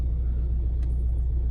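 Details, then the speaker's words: 2009 Ford Mondeo Mk4 2.0 TDCi diesel, cold idle: deep, pulsing rumble with strong vibration felt through the car and belt, worsening as it warms, disappearing with throttle; suspected failing dual-mass flywheel, not confirmed. "Ford Mondeo 2009 року мій це моє авто 2.0 тдці двигун є така проблемка появилась вібрація на холостих обертах"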